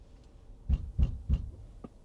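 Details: Tesla Model Y Performance: three deep, evenly spaced thumps, about three a second, come from the rear when creeping forward at very low speed, then stop. There is no noise while driving normally, and the cause is unknown pending service.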